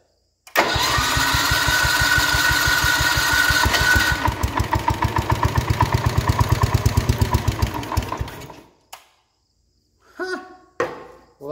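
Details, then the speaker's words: 1970 John Deere 110 hydraulic-lift patio tractor, sat unused for many years, given a shot of ether: a brief crank catches almost at once, then it chugs steadily for about eight seconds before dying off. It started on starting fluid surprisingly easily. "almost too easy what the heck what's the deal here"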